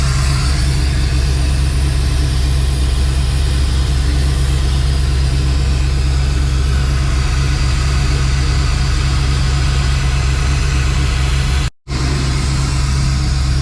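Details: Dodge Dakota R/T 5.9L Magnum V8, new heads and cam, idling after rebuild while fuel sync is set to +4 degrees with a Snap-on scanner, about 1,000 rpm. Deep steady even low rumble, no knocking or ticking; healthy normal idle.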